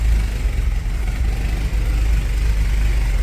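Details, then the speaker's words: Ford XA Falcon revived after new points, spark plugs, swapped distributor cap, cleaned fuse box and new fuses: steady even low idle rumble, no misses, knocks or surging; owner unsure it's running perfectly happy. "think it runs that well I don't know if it's that happy but I don't really want to spend much more time finding out"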